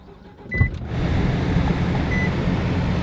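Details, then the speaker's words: 2003 Nissan Altima, about 100,000 miles: a single hard clunk as the engine fires on start-up, then a steady idle, with a leaking power steering pump noted; clunk cause unconfirmed, possibly a worn mount. "besides that clunk listen that's the power steering the power steering is leaking"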